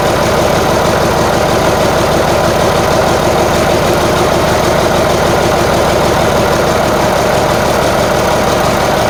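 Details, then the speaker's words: Marmon 57P Aero truck, newly installed diesel engine at first start after fueling injectors: loud idle with uneven, stumbling beat instead of smooth patter; sounds like it's missing on a cylinder, cause unconfirmed. "hold on we gotta feel like no we just got to get the idle sounds like it's missing on uh yeah yeah all right let's try it again"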